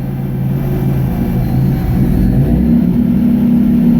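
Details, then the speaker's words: 1999 Nissan Frontier turbo, free revving after setting trigger and home (crank/cam) input filters to 0: note climbs smoothly with no break-up past the former 1400–1600 rpm limit; normal free revving. "Alright, right about this point it would start breaking up and I would start getting a lot of errors. That is freaking awesome."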